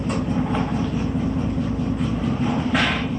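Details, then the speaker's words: 1972 GMC ice cream truck six-cylinder after a tune-up (cleaned fouled spark plugs, vacuum moved from manifold source): an even, steady, quieter rumble with no misses, now running on all six cylinders. "so he's off to sell his ice cream sounds a lot better than it did before much quieter just run on all six cylinders"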